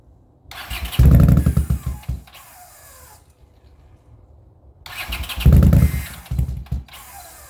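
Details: 40-year-old Honda GL500 motorcycle on first start after rebuild, fed from a temporary gas bottle: two bursts of quick, even cranking, spinning freely but never catching. Fuel starvation.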